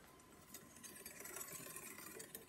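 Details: Vintage Gitane road bike, possibly 1980s, crank turned slowly by hand: faint intermittent scraping as the chain brushes the front derailleur cage, from lateral movement caused by a warped chainring/crank spider.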